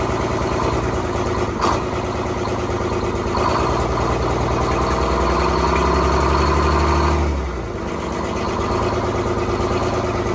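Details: 1970s Crane Carrier 10-wheel-drive truck with a two-stroke Series 71 Detroit diesel, first start after freeing four stuck injectors: steady, even drone with a firm low beat, no misses or knocks, running cleanly and pulling fuel.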